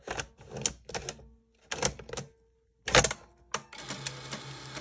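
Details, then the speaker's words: 1984 Sony BetaMovie BMC-220 video camera, powered from the plugged-in charger: crisp mechanical clicks then a soft motor whir as the cassette draws in and seats cleanly; tape shows some mold; loading works normally. "oh took the tape okay looks like this tape has a little bit of mold on it not good"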